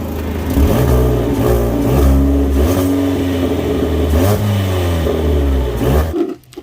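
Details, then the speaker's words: Ford Fiesta before the resonator pipe assembly is replaced: the engine revs up and down with a loud, raspy, puffing exhaust note that rises with the revs, from a big exhaust leak at the resonator; the muffler also sits crooked. "And if you go under here, you can see there's a big exhaust leak coming from the Resonator."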